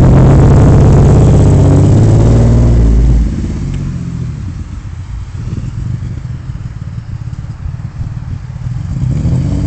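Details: Vauxhall/Opel Vectra V6: after brief rev, uneven chuffing idle about three a second; misfire, possibly fueling or no air intake on a cylinder, engine likely coming out for full recondition.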